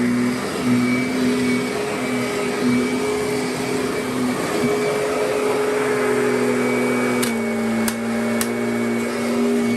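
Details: Kirby Sentria vacuum saved from curb, some broken parts: even steady motor hum with constant pitch, no rattling, scraping or surging; motor runs great, normal.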